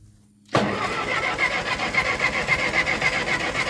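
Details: Ferguson TO20 tractor after gas tank and left front wheel bearing repair: steady starter churning at three to four turns a second, never catching; cranks but won't start, fuel in the bowl, fuel valve cracked open, cause unconfirmed.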